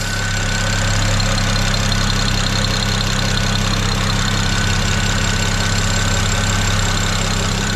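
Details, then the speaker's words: BMW E90 335i N54 after oil filter housing gasket and thermostat work, idling while warming: steady, smooth low drone, no ticking, whine or knock; quieter than before, owner suspects the old plastic filter made an alternator-like noise. "So I just thought I'd show you, it's actually, the engine sounds quieter now. And I reckon the plastic oil filter was making a noise. It used to sound like it had a bit of an alternator noise. But she is quiet."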